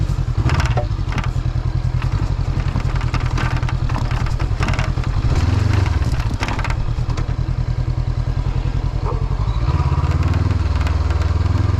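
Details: Motorcycle riding a road in Norway: irregular plastic rattling and clatter over engine drone and wind, from the windshield loose after losing one of its mounting screws.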